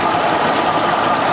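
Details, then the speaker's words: Mercury 60hp outboard after carb reinstall and link-and-sync, idling in forward gear at about 690–710 rpm after the idle stop screw was raised because idle was too slow; steady, even idle with no misses. "perfect and i already have it tight so when i did this it was uh the idle was too slow so i bumped it up just a little bit more"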